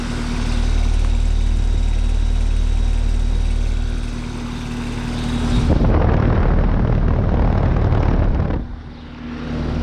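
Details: 2020 Carrier Comfort 14 heat pump outdoor unit in heat mode, morning, 47°F: steady low compressor hum under smooth fan rush, no rattles or grinding; normal operation in heat mode.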